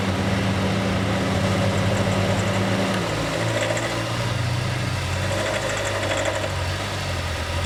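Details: Honda City EXL 2020, bought new, noise began after some km and grew by about 19,000 km; dealer could not locate it; steady idle with light irregular tapping about four per second; engine noise, cause unclear.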